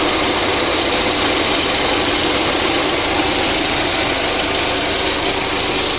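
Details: VAZ 2109 engine after a full overhaul: steady, even idle with a smooth mechanical hum and no knocks or misses. Normal idle.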